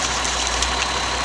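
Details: 2009 Ford Escape 3.0 V6 idling with irregular stumble and uneven exhaust beat; codes show bank 2 lean, cylinder misfires and injector circuit open, misfire and lean being side effects; checking 15 A fuel injector fuse.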